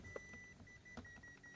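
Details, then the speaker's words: Toshiba rice cooker converted from 100V to 220V, plugged into 220V with a blown fuse found, repeats short regular beeps and won't cook on quick-cook even with the pot removed. Internal board or power-supply damage from the conversion is suspected. "Như này là vẫn tít tít tít này. Bình thường này nếu mà khi mình bỏ xo ra là nó sẽ nấu phải là phải nấu bình thường nh các bạn nhá."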